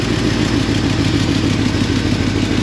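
Engine idling with a slightly rough, stumbling beat and light clatter over a steady rumble; one cylinder misfiring, cause not yet proven. Cause suspected, not confirmed.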